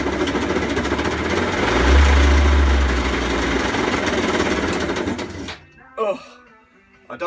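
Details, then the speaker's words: WK 50cc GP two-stroke moped, 3,800 miles: harsh fast clattering rattle about three knocks a second while running; crank bearing failure suspected, possibly run without two-stroke oil. "know whether you can hear that over the microphone that is crank engine bearings something seriously Ed up in that engine"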